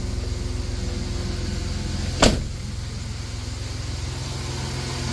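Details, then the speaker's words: 1990 Dodge Grand Caravan LE, likely original engine, about 275 thousand miles, first start after at least 7 months' storage: smooth, even idle with a steady low hum, no ticking or knocking, one brief click; oil pressure up, formerly ticky engine now quiet. "to that motor pur. Remember how ticky that was when we first bought it? That motor is dead silent for 275. That's pretty good."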